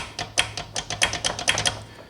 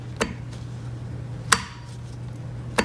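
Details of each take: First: Quantum 4Front power chair raised on a block, wheel rocked by hand: sharp uneven metallic slapping, about six in two seconds, from the parking brake housing with slack when stopped; loose parts in brake housing, before repair. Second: Quantum 4Front power chair drive motor parking brake after rebuild, bolts refitted (one bent): three crisp single clicks about once a second over low motor hum, no pinging rattle afterward; brake now engages decisively and normally.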